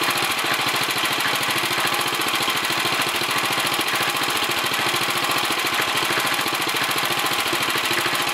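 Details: 1964 Sears Suburban 600 garden tractor: small single chuffs fast and slightly uneven, beat wandering but settling; running rough, cause not known; uneven running.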